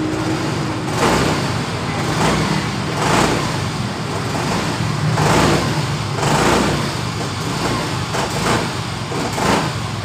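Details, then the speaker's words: Yamaha Mio Fino scooter, hot after long use (normal when cold), stumbles whether fuel is high or low: uneven surging idle with rattly vibration from the rear pulley and free play at the throttle. "Keluhan dari pemiliknya, motor ini saat lama dipakai, motor ini langsung brebet. Dan ketika dingin, motor ini dalam keadaan normal."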